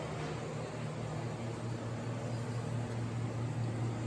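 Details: Vintage Sears Coldspot 28 dehumidifier, restored with new wires and cleaned switch, running and cooling at 117.6 V, 5.92 A, about 522 W: steady low hum with even airy fan rush, no knocks or surging; normal.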